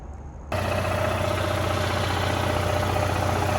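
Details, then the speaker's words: Onan Marquis 5500 generator after refitting a popped-out crankcase plug that caused oil burning from crankcase pressure, running under full load with both rooftop ACs: steady even drone, no knocks, no smoke now. "All back together, running. I got both rooftop ACs running right now. So it's on full demand."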